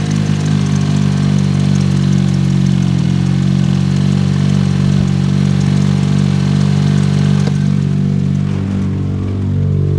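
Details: 2007 Toyota Yaris 1.5L 1NZ-FE after replacing the coil packs and all four spark plugs to cure a cylinder 3 misfire. The four-cylinder idle is steady and even, with no stumbles or skipped pulses. This is a normal idle.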